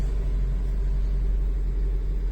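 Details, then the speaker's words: Maruti Zen MPFI with an intermittent no-start complaint, currently starting. Deep, even low rumble with no misses or knocks: normal idle. Later it fails to start and only cranks. "നമ്മൾ check ചെയ്തു നോക്കി വന്ന സമയത്ത് വണ്ടി start ആവുന്നുണ്ടായിരുന്നു കണ്ടോ ഇപ്പൊ ഞാൻ start ആയി കാണിച്ചു തരാം"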